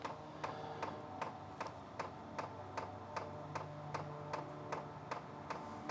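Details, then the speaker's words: Sunster 5 kW all-in-one diesel air heater at first start: crisp, evenly spaced dosing-pump ticks about two and a half per second over quiet background while priming; normal. "I don't if you hear that but there's the pump sound first time pring"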